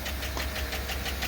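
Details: 2008 with 5.3 engine, started fully cold at idle, hood open: fast light even tick about six per second over the idle, from lifters on one cylinder head; stuck lifter tick.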